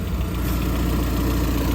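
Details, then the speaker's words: Peugeot 206cc bought to repair and flip, very low on fuel: deep, even exhaust burble at steady idle with no tapping or ticking; sounds healthy, exhaust to be replaced. "sounds all right no tap in no ticking anything yeah you'll probably pick it up on it you can hear the exhaust flowing but I'll be replacing sorted"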